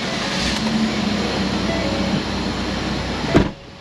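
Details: Ford Escape power window after repair: a smooth, steady motor hum for about three seconds, ending in a firm stop thud at the end of travel; the window now works normally.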